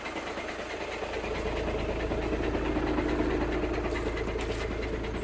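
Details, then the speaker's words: High-mileage VW Passat DSG automatic diesel at idle: steady, fairly regular low rattle from the gearbox side; owner 99% sure it's the dual mass flywheel, not confirmed, car otherwise drives fantastically. "definitely this gearbox side of the car definitely about there i'm gonna say i'm 99 sure that's a dm uh dual mass flywheel dmf which is a real shame because the car drives absolutely fantastically"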